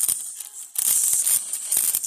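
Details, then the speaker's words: Acer Swift 3 laptop playing music at 100% volume, before speaker replacement, with a very weak startup tone: thin, crackly, buzzing sound with no low end; distorted speaker. "So ganyan siya ka-distorted yung kanyang audio sound. Yung quality niya talagang hindi mo na maintindihan yung piniplay mong audio."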